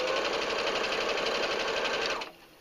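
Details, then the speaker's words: Brother SE 350 sewing machine with presser foot down and speed lever turned all the way up; fast, even buzzing patter that stops cleanly, no knocks or rough catches. Normal operation at full speed. "When you go ahead and you run, you can go put the foot down, turn it up all the way, and this is how fast is it."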